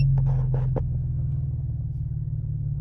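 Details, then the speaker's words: 2008–2014 Cadillac CTS V6 at idle, after new coils and plugs and with the aftermarket amp disconnected, while chasing an intermittent cylinder 2 misfire: low, steady, even rumble with no stumble and no misfire recorded. Misfire is not consistent. "see if we're recording anything right now she's purring like a Kitt kitten"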